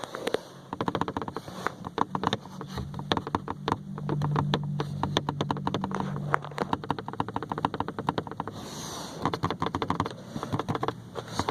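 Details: New Ford Ka, driver-side windshield A-pillar trim: irregular light ticking and buzzing in bursts over bumps on rough road as the trim vibrates against the body; fix is automotive foam between trim and body: A-pillar trim rattle.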